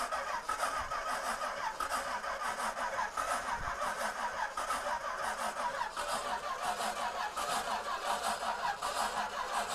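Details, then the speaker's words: 1937 Buick Century convertible, twin Carter carburetors on an Edmunds manifold, unstarted for years, fresh gas with electric pump: slow uneven cranking about three turns a second, no start; possibly not getting fuel, priming suggested. "barry we might want to prime that carburetor yeah this might have the opposite problem of not getting any fuel any fuel"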